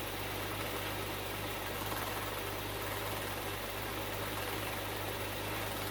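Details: Bitter SC (SC 377), Bosch L-Jetronic fuel injection, after fixing a faulty temperature-sensor wire. Catches promptly and settles to a steady, even, smooth low idle with no misses or knocks: running clean.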